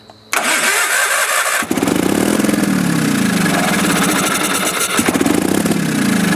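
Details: Sears Craftsman FF/20 being revived: fresh fuel, spark restored after a bad condenser. It cranks and catches, but speed keeps swelling and sagging every few seconds and never holds a steady idle. Carburetor inspected next; cause not confirmed.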